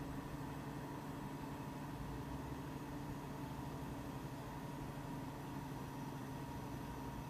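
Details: Mac Pro 1,1/2,1 with 48GB using incompatible 8GB DIMMs under benchmark: loud steady rushing whoosh with faint hum, fans about double usual speed to nearly maxed despite temperatures a few degrees cooler; the RAM forces maximum fan speed.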